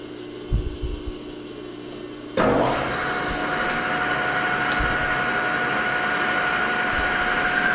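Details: Lathe turning O1 tool steel boring bar stock to about 0.750 in outside diameter with a new insert: motor hum, then steady even hiss with clean high tone, smooth chatter-free cut landing right on size; normal lathe cut.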